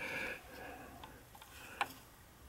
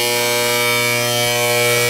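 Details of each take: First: Gas boiler and water heater power venter after fitting a brand-new, properly sized venter motor and assembly to fix a loud hum: faint clicks, then smooth steady low blower hum, no rattle or drone; much better than the old one. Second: Gas boiler and water heater power venter with old crusty, long-unoiled motor, boiler not firing: loud steady electrical hum with strong fixed tones and no speed change; venter motor failing, needs a new motor.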